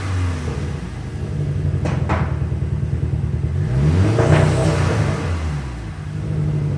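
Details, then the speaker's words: Highly modified, remapped VW Scirocco R with big intake, back on stock file: low rumble with uneven lumpy pulses stumbling as revs rise and fall, misfiring much worse; cause unknown after compression and coolant tests elsewhere. "And there we are, guys. Back to the stock file. And instantly, as you can hear, she is misfiring like mad. So much worse."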